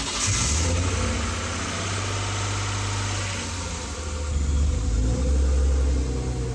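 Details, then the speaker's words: BMW E36 328ti Compact, first start after fixing a painted-over ground that cut power: quick catch, then settled even idle with slight rise in revs, no roughness; sounds healthy, check engine light flashing. "well it starts so that's a good thing"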